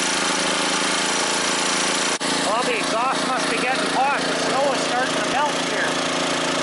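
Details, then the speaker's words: Scrapyard generator revival under near-maximum load with heaters plugged in: steady loaded drone at constant pitch, no knocking or rattling; engine healthy, sooty smell. "here and the engine sounds really healthy H knocking or rattling or anything"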